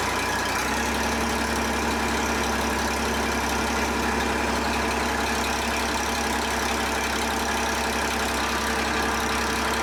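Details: John Deere 350B bulldozer, rebuilt diesel engine: catches and drops to a steady, even low idle with a smooth rumble, no knocking or hunting; healthy start, normal idle.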